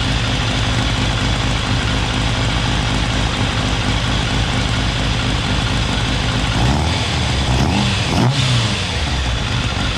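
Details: Restored, rebuilt 1989 Kawasaki ZX10 (ZX10B), first start-up on a little choke: steady busy idle with small throttle blips, no misses, knocks or leaks; runs well, may need carb balance later.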